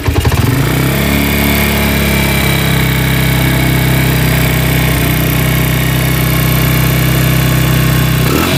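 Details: Cold Honda Tiger single that smokes when cold and lacks power: steady running with a rough, fast clicking from the cylinder head, about four per second. It sounds like a worn or slapping piston, but loose rocker arms are the cause.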